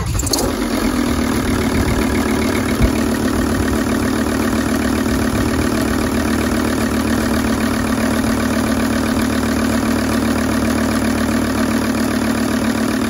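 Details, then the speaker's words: Very high mileage Volvo S80 project car, no dashboard warning lights: engine catches at once and settles into a steady, even idle with no knocks, misses or rattles; starts first time every time, healthy running. "the engine starts first time every time it pulls really well"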